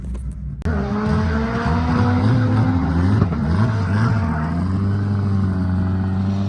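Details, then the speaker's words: K24 AWD Honda Civic drag car on a pass at PFI SpeedFest, Pueblo, after warming up: the engine note wavers and stumbles under load, misfiring really badly, as if down a cylinder. "car started misfiring really really bad it feels like it's down a cylinder or [Music] something doesn't sound good it's like misfiring big time"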